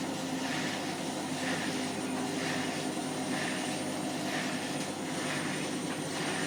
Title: My Hotpoint Washing Machine is Making a bit of a Squeaking and Scraping Noise when Spinning on 30c